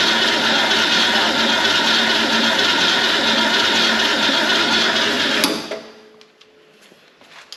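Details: 1970 Ford Torino GT V8, revived after sitting since 1992, carburetor refilled and pumped after briefly running: starter churns evenly for about five seconds without catching; cranks but won't fire, apparently not getting fuel.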